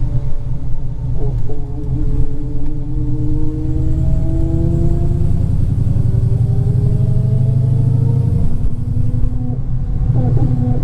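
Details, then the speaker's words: Dodge Challenger SRT Hellcat with built MMX engine and ported supercharger, first drive after rebuild; under load a loud tone climbs with road speed over exhaust rumble, rear differential gear whine, not supercharger. "this differential is screaming you guys so we're probably going to have to send this differential back to get rebuilt cuz that is screaming"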